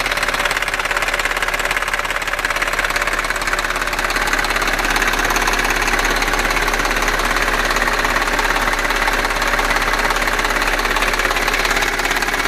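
Steady fast ticking clatter over a smooth idle, roughly two to three taps a second; an engine tick, source not pinned down.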